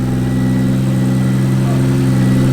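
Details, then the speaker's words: 2JZ engine in a Mustang after head rebuild with valve job and new valve stem seals: smooth, even idle with a steady deep hum, no knocks, ticks or misses; good compression across all cylinders. "all right so we got the to jail running you guys saw running beautifully good compression cross the board"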